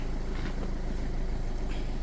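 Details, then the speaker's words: 1.4 HDi diesel idling after DPF (FAP) cleaning without removal, vinegar poured in via the sensor hose and left 15 minutes: deep, even diesel rumble at steady beat, no knocks or misses; engine running well, not damaged. "Donc là le moteur il tourne bien, le moteur n'est pas cassé,"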